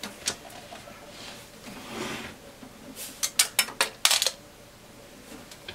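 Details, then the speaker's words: Keithley 228A voltage/current source (1988 date codes), tilted by hand: short run of light metallic clicks and skitters, like a small loose part sliding inside the sealed case; owner suspects something loose inside, possibly a sign of a big problem. "There's something floating around the side. So, although it's got seals on it, I'm definitely have to open this up."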